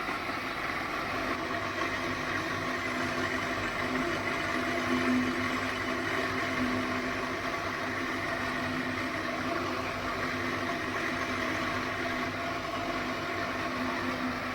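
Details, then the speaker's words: 12-inch domestic flour mill, 2 HP single-phase motor, after repair grinding wheat: steady even hum with no rubbing or knocking; flour now fine like powder, running normally. "तो दोस्तों चपकी चालू हो चुकी है और आटे की क्वालिटी दोस्तों देख सकते हो एकदम ही बढ़िया आ रही है एकदम पाउडर के सामान"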